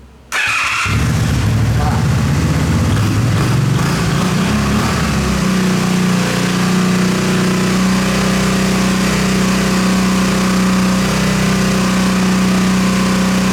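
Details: Motorcycle whose starter clicked without cranking, after starter solenoid repair: a short crank and it catches straight away, then settles into a steady, even idle with no clicking or stumbling.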